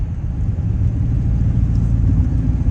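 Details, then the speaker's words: 2014 Dodge Charger Pursuit HEMI V8, 57 mph cruise on slight decline in eco (cylinder-deactivation) mode, cutouts opened: uneven low burble like a jake brake or rough four-cylinder; normal. "It kind of sounds like a semi truck using its jake brake. And I'm also kind of going down a slight decline. So it's going to sound funny. So it really sounds like a really, really, really bad sounding 4-cylinder when it's in eco mode."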